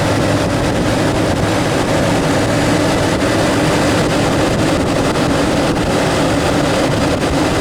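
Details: 1992 Chevy Astro extended van, 4.3L V6, 189,853 miles, just after idler pulley replacement, belt refitted: steady, even warming-up idle with no knocks or belt squeals, though owner says it sounds a little odd; normal idle.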